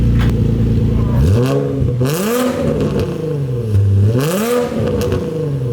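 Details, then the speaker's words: Nissan 350Z VQ engine with rebuilt custom exhaust and new muffler replacing a broken, obnoxious system: deep note swells through two clean blips and settles to idle, no rattles or drone; quieter, healthy exhaust. "That sounds kind of good. That sounds good. Hell yeah. I'm honestly stoked on that. That sounds really good. It's not too loud, it's not annoying."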